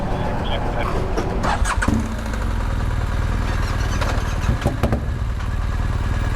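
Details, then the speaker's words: Yamaha MT-07 with one cylinder misfiring, which had earlier backfired through the intake: the engine catches and settles into a rough, lopsided thumping idle with irregular beats, as if one cylinder isn't pulling its share. Cause not confirmed; injectors being checked. "Sound like one of them Harley riders. Yeah, it did seem like it tried there for a second."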